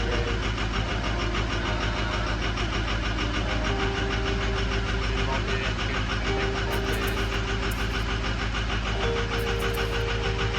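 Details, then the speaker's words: Ford 6.0 Powerstroke diesel after quick fixes, sat a week, owner suspects vacuum pump or leak, injection pressure about 1300: loud steady clatter with uneven lumpy beat around two pulses a second while warming up; rough running. "Still going. It seems too rough."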